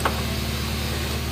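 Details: 2002 Suzuki Baleno after replacing a weak battery that had stopped it starting. An even, steady, low engine hum with no dips or labouring as load comes on, unlike the rough running before the replacement: a normal idle.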